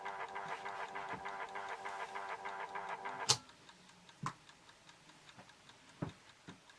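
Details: Horstmann VA Mk9 SRS2 time switch, synchronous motor winding the 15-day spring reserve: quick light escapement ticking under the motor whirr, then a sharp clack as it stops and goes quiet. Normal escapement ticking while winding.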